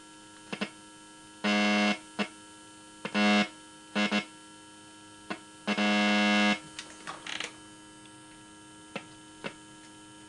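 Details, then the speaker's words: Vintage tube car radio powered up with tubes glowing: steady low buzz from the vibrator power supply with louder buzzing bursts and sharp taps, but no audio output. "well that's a little disappointing uh we're not going to give up we're going to this car is going to have a radio in it and it's going to be tubes like it's supposed to be one way or the other you can hear it buzzing maybe you can"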